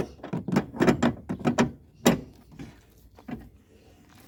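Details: Old Perodua Alza driving over a bumpy road: irregular hollow knocking thunks from under the rear of the car, pointing to a rear suspension knock.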